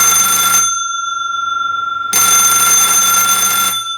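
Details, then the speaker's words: Vintage Buzz-A-Bell doorbell after repair: two even bursts of bright, steady buzzing, about three seconds each with a pause; clean and crisp, rings properly, normal. "that sounds just right."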